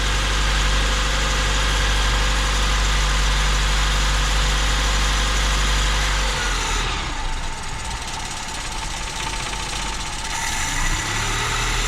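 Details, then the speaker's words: Cold 1987 Mazda B2200 2WD 5-speed on a frosty morning, just revived after barely running: started then died, idling low and rough with shake, settling and idling better as it warms; later stuck on fast idle. "okay well it started but it died"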